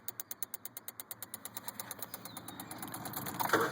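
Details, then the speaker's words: 2007 Honda Civic LX, new battery, won't start: key on shows only engine light, blue relay clicks rapidly about six a second, engine never turns over; ECU suspected, not confirmed. "when I put the key all you can see is the sh engine light and you can hear a relay that blue relay right there it's actually clicking"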